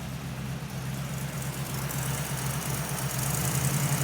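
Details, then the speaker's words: 1931 Ford pickup with tri-power carbs after ignition and carburetor repair; compression was checked after it acted strange the night before. A steady, smooth low rumble at idle with a gentle rise toward the end. It sounds a lot better. "That sounds good. A lot better."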